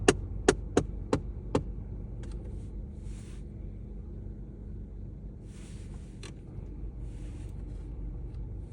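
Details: VW Golf 7 heater: quick run of about five sharp clicks, two or three per second, then fading, gone when the blower is turned down; heater blower knocking.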